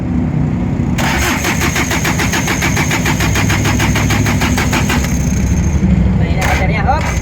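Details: Diesel engine, injection pump being bled with return line refitted: steady starter cranking about five compressions a second for four seconds with no firing; no fuel delivery from injection pump fault. Crank no-start.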